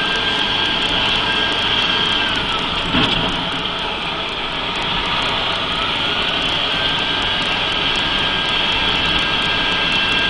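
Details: Mercedes-Benz 3340 diesel truck at constant engine speed, turbo failure test: steady high whistle above the diesel. Failing turbocharger suspected, not confirmed.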